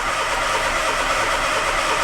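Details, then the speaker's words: Peugeot 107 (Toyota Aygo / Citroën C1) with immobilizer fault code B2799, cranking a bit weak: a steady starter whirr cranks evenly and the engine never catches or fires, a confirmed crank-no-start on both keys. "also a crank no starts or customer complaint confirmed now of course just like we expected this car has a crank no start"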